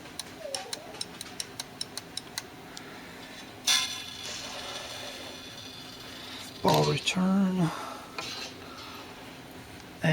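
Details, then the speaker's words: Sirmo bingo pinball sitting 20 years, playfield rollover: string of about ten light even clicks, owner thinks this rollover isn't working, cause unconfirmed. "This one, I don't think it's working. I hear it clicking. See this clicking?"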